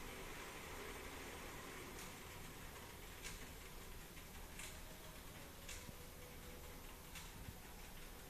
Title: clicking noise while pedaling